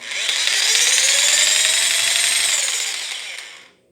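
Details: Bosch PST800 PEL 530 W jigsaw, rated for 220–240 V only: high-pitched cutting roar whose pitch sags and wavers as it labours, then winds down; underpowered.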